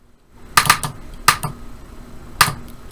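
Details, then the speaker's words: Irrigation solenoid tested at the zone with the splice broken, using 9-volt batteries in series up to 27 volts: crisp, sharp clicks each time the battery touches the terminals; the solenoid is working. "we can hear that solenoid click."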